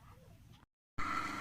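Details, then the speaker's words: Lakshmi wet grinder motor (10 mfd capacitor) after bearing replacement; steady, even hum with clean tone and no grinding, spinning freely, earlier noise gone. "பாருங்கள், ஃப்ரீயாக ஓடுது."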